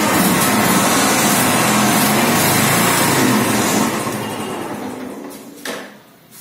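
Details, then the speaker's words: Motorcycle first self-start in neutral after installing sprag clutch/self-start bearing: even quick single-cylinder putter, no knocks or rattles, tailing off; runs normally. "Let's start neutral smoothly start फ self start smoothly"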